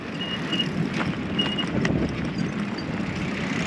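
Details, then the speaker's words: Loaded touring bicycle: short high squeaks about once per wheel turn over road and traffic rumble; front disc brake rotor rubbing, rider suspects it warped on downhills. "Hear that squeaking? That's my front rotor. Got a little warped on some of the downhills today."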